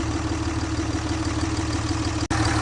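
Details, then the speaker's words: 2006–07 Cummins 5.9 diesel truck with cat and muffler, just started after sitting: steady, even idle with a smooth low rumble and no knocks or misses; the engine is running healthy. "listen to that thing her guys it does have a cat and a muffler so I'm a big fan"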